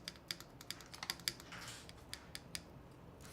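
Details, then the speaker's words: Mechanical keyboard build (Devastating TKL, HMX KD200): slow keystrokes, each with a faint sharp metal-on-plastic tick on release despite heavily lubed stabilizer wires; the housing may need more lube. Keyboard stabilizer tick, cause unconfirmed. "Where's that sound coming from? That's like metal on plastic for sure."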